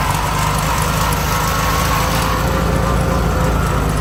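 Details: 1971 VW Bus Deluxe air-cooled engine with rebuilt carb, running rich, choke on top notch: lumpy, stumbling rough idle near stalling, then dies; owner suspects carb adjustment, generator also noisy.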